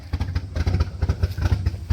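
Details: Studebaker running again. A deep, even low throb with steady firing pulses and no knocks or misses. The engine runs smoothly and sounds healthy.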